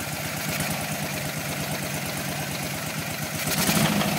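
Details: 1981 BMW R100RS boxer, first start after years standing, on substitute Mikuni VM32 carbs and scrapyard coils: uneven, slightly smoky idle with a hard knock about four per second rising with revs; big end knocking on the right cylinder.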